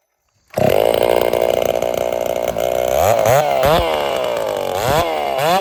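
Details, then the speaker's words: Ported Dolmar 7900 chainsaw, 82cc-class build with a big muffler, first test run after earlier carb issues: loud high revs settle, then surge and dip unevenly in bursts, an erratic tune; owner suspects a lot of bleed. "she's running running pretty decent not satisfied uh looking for more but I think we're going to run it like this for a little bit because well I mean she's behaving kind of weird and erratic and stuff and it's a sign of having a lot of bleed"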